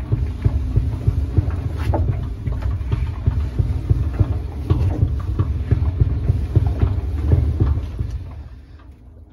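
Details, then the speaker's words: 2016 Maytag dryer, model MEDB835DW3, running: a low, thumping knock repeats about three times a second over the drum rumble; a knocking noise, cause not yet found. "what I'm hearing this dryer is making a knocking noise it sounds like it because I can hear like a knock"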